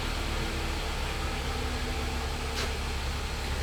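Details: 2012 Hyundai Sonata 2.4 GDI with long crank, low power, misfire, after fuel-system fix; fuel pressure about 730 PSI matching set point. Smooth, steady idle under soft fan hiss, no misses.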